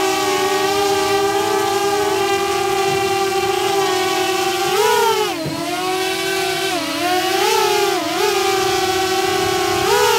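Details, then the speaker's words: DJI Mavic Air on stock propellers, hovering and then punching up, with a loud, steady high-pitched bee-like whine that rises and dips. Its high pitch makes it annoying; Master Airscrew stealth props are being tested as the fix. "I think the biggest issue on the Mavic Air is it's such a high-pitched noise that makes it more annoying."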